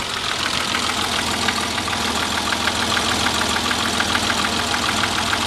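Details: Idle with light metallic knock under two per second, somewhat uneven, over bright hiss; owner unsure whether piston slap or rod knock.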